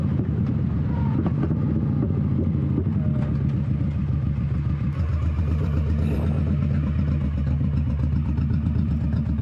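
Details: 21-year-old Honda Shadow V-twin with new Vance & Hines exhaust, baffle repacked with new fiberglass, cruising: even, deep, loping rumble, no rasp or rattle, tamer and well muffled; normal exhaust note.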